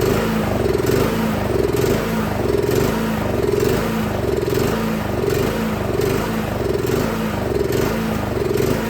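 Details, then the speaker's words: Craftsman SB 425 24-inch snowblower runs fine on full choke, so-so on half choke; off choke the engine surges and hunts, rising and falling about once a second and wanting to die, pointing to a dirty carburetor. "And you will hear is as I was, full choke, it ran fine. Half choke, kind of okay. No choke, surging, hunting, wants to die. So that tells me that something is going on in the carburetor."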